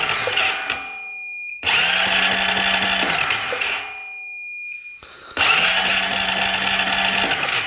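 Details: 2008 Honda Rancher 420 ATV with no spark, cranked during a pickup-coil peak-voltage test reading 0.1: two bursts of starter whirring about 1.5 seconds each with pauses between, never fires; cranks but will not start. Cause unconfirmed; the new ignition coil is suspected.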